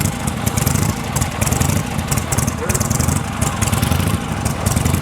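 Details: Vintage V-twin, kick-started after return spring tension fixed: steady, lumpy loping idle with no misses or knocks while warming up; engine sounds healthy.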